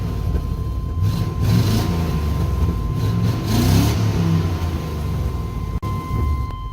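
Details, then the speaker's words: 1998 Chevy Silverado OBS, 350 V8, about 211,000 miles, just shut off, good oil pressure: deep smooth rumble rising and falling cleanly with throttle, no knocks or misses, healthy revving. "starting up you'd hear that 350 Rumble good oil pressure"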